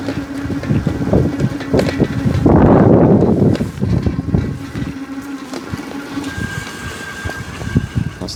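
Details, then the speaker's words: Engwe Engine Pro 48V 750W folding e-bike, recorded with the mic held near the motor with wind present. A steady low hum with a thin whine and a vibrating noise; the motor is unusually noisy, though it seems slightly better than before. "I that vibrating noise there you can hear the vibrating noise I think it's actually seems to be a bit better today than it has been"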